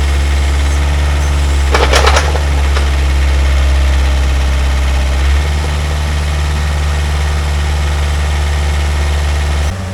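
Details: Pel Job LS2000 excavator after the Rexroth A10VO28 pump repair, standby pressure set to 30, main pressure being set toward 250: deep, steady diesel drone with an even low hum and one brief clatter early, no whine or knocking. Normal running.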